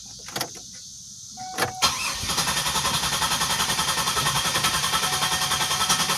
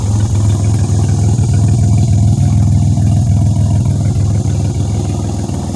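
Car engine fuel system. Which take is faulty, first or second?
first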